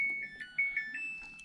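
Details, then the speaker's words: Samsung top-load washer that stuck in Sense mode and would not spin, powered on for a rinse-and-spin test after fitting a new motor position (TMR) sensor with the clutch assembly: a short run of clear rising beeps, a normal start-up chime with no fault tones. "okay my friends we're gonna go ahead and power it on"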